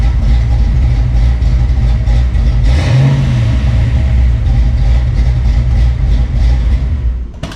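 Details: Retro Fox Ford fitted with 170cc SVE aluminum heads and roller rockers, first start after install with no coolant yet in the system: deep loud V8 rumble on open pipes, one quick blip, even idle; normal idle.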